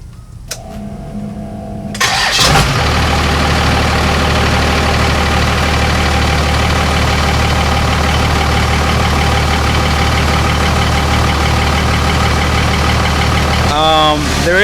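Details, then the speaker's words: 5.9 Cummins diesel at idle, ticking since front cover was replaced: steady idle with a light, fairly even tick about three a second; valve springs suggested by others, source not confirmed. "only one thing i did notice i mean this has been happening since i changed the front cover out a while back that there's like this rattling sound or ticking sound i don't know if you guys can hear it"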